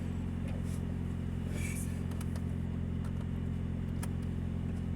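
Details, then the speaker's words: 2000 Nissan Altima petrol engine at idle: a loud, deep exhaust rumble and low throb from a leaking exhaust. "car has a bad exhaust. It is leaking, so it's making a lot of noise."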